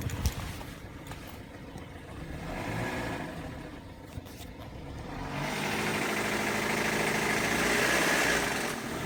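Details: BMW E92 LCI 318i engine: light, quick, regular rattle about four per second over the idle, louder as revs rise; stretched timing chain.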